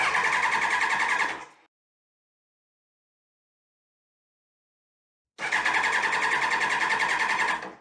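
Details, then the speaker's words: 2001 Kawasaki ZX12R fuel-injected barn find after oil change, cranked with fuel pump fuse pulled so it won't fire: two bursts of steady, even starter whirr with a quick regular beat; normal crank without firing. "Now that the oil's been changed, I want to turn the engine over without firing."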